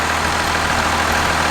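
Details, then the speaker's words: 1967 Ford F-250 with swapped 1993 Dodge 5.9 Cummins 12-valve, computer deleted, stand-alone wiring, first start in two years: even steady diesel clatter at idle with smooth low rumble, no missing; runs healthy. "that's an exciting day to see that engine running inside my 67 ford"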